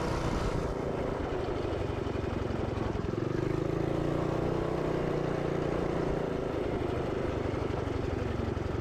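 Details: Minibike's small single-cylinder engine, started cold on choke before a warm-up ride: holds a steady, even buzz with no stumbles or knocks; running healthily.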